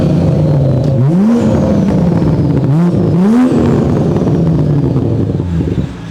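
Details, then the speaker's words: 2021 Toyota Supra after repair of a broken 4-inch single-exit exhaust, with upgraded or stock turbo, charge pipe, intake and turbo timer: a clean exhaust note over three quick rev blips with no rattle. "as you can hear no more rattle sounds clean"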